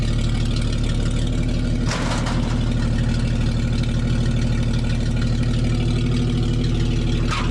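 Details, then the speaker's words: 1961 Chevy dump truck started after sitting a while: deep, steady idle with an even low beat and no knocks or misses; normal idle. "well here's a test the old girl been sitting for a little while let's see if she still fires up"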